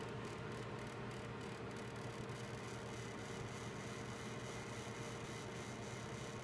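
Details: Gigabyte G1 GTX 1070 graphics card fans at about 50% of max rpm: steady rushing whir with a rough, gritty grinding hum underneath, a fan defect.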